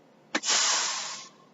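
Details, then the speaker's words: Air-brake truck at about 125 psi with governor cut out: click then short sharp hiss of air exhausting from the rear brakes on release, stopping cleanly; normal, no leak. "all it did was let all the air back out of the back I had have no leaking here at my mouth when I did there"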